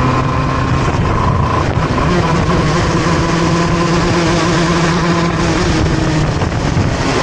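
Loud two-stroke kart screaming on track, pitch climbing out of turns but hesitating and flattening under throttle; engine bogging, cause unclear.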